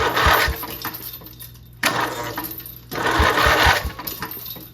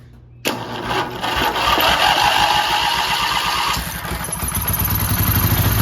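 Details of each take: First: 12.5 hp flat-twin Briggs & Stratton industrial engine stored 25 years, starter held by one bolt, engine unmounted, starter fed directly from charger: three bursts of fast whirring and clatter as engine spins freely and shakes violently. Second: 12.5 hp flat-twin Briggs & Stratton industrial engine stored 25 years, gas poured in: catches after brief crank, stumbles unevenly, then picks up to a steady lumpy run before dying; it runs.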